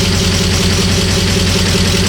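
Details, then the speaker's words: Porsche Cayenne GTS V8 first start after months of restoration (sludge, valve covers) on abandoned car, no exhaust fitted: loud raw open-pipe idle, even steady pulses, no misses or knocks; RPM settled down after start, runs normally. "We did it, and it's so nice to finally hear the sound of this engine again. Pure V8 engine. Of course we don't have an exhaust, which makes it sound a bit weird."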